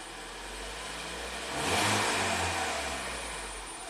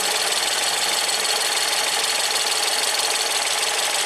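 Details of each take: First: Ford EcoBoost van with intermittent P0106 MAP performance code, after stumbling at start, RPM slowly raised with fuel trims at zero: engine climbs smoothly from idle and eases back down, even and steady; normal revving. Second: Ford EcoBoost van with intermittent P0106, fuel pressure testing with high-pressure fuel pump solenoid commanded and unplugged: sharp metallic ticking about three per second over steady idle, then quiets; owner suspects high-pressure pump. Unconfirmed.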